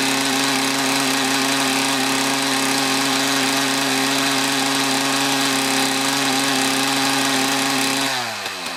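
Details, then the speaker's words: Mantis tiller with a two-stroke Kioritz Echo engine, after cleaning around the carburetor: high buzzy note revs steadily under load without bogging, then winds down, though the idle is still not quite right. "all right so it doesn't block down on the acceleration anymore though the idle is not quite right"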